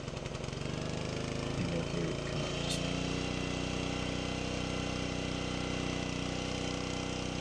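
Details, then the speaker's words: Rebuilt Honda small engine on a log splitter, throttle linkage parts missing, held partly open by a longer idle screw at about half throttle: steady low drone that never reaches full speed, with a slow splitter ram. "So while putting that longer screw, replacing the regular idle screw with that longer screw just so I could get the throttle to stay open, it's still not, in my opinion, at the proper throttle because that ram is slower than I remember it."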